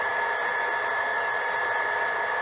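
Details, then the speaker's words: JoJo 1.5 kW VSD household water pump at very low flow, at about 400 W: steady airy whine with an even high tone as the variable-speed pump throttles down normally. "if you go right down to a very low flow and there we can hear it Throttle Down Throttle Down the knot"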